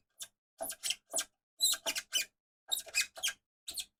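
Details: Film winding knob squeaks with sharp, high, dry chirps in uneven clusters of two or three as it turns; owner suspects a missing anti-friction washer in the winding mechanism, not confirmed.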